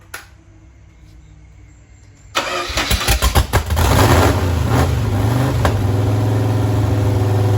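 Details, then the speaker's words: Freshly built engine from a bare block on an engine run stand with mechanical fuel pump and carburetor: catches at once, revs briefly, settles into smooth even idle with no knocking. "Sounds good too, right? >> Oh boy, it does sound good."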